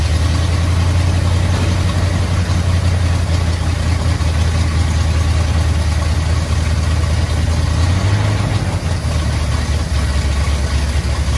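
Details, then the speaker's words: Squarebody Chevy C20 V8 just fitted with an Edelbrock AVS2 650 carb on an adapter plate, replacing the Quadrajet, on choke: deep, slow, lazy rumble barely holding on; idle way too low. "i'd always way too low it was on the choke so right now i'm taking"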